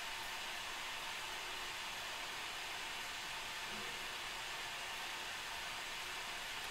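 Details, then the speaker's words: Acer Aspire 3 A315 laptop, sitting idle with no visible load: loud, even jet-like whoosh as the cooling fan ramps up, measured 43-46 dB against a 23 dB room; excessive fan noise, CPU heat suspected. "kind of sounds like a jet ramping up to take off like the turbines are spinning and and ramping up for takeoff"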